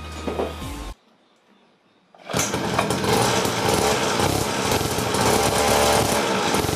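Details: Raptor 87 pocketbike two-stroke with an added perforated-tube silencer in the exhaust canister: after a short pause it buzzes steadily and evenly, crisp without misfires or harsh blare, running healthy.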